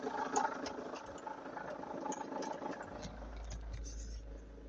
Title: Vauxhall Antara Diesel with weird noise from engine bay. #automobile #garage #crazycars